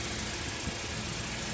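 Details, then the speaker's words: Saturn L200 idling after fuel pump and fuel filter replacement, recorded from under the car: quiet even idle hum, no stumble, tick or knock; previous fuel leak no longer smelled; normal idle. "Okay, it is running. I don't know if you can hear it."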